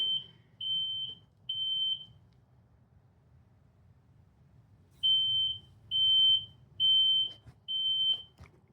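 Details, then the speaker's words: Ryobi 80 V battery riding mower used as a power station with the inverter on: steady high-pitched half-second beeps in bursts because no one is sitting on the seat sensor. "okay it's beeping because no one's sitting in the seat"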